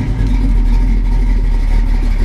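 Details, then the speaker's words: 1968 Pontiac Firebird V8 idling on a hot day, run about 2-3 minutes, 50 psi cold oil pressure, temperature coming up to about 160: deep even rumble, steady lope, no knocks or misses; pretty good running motor. "It's got a rumble, doesn't it?"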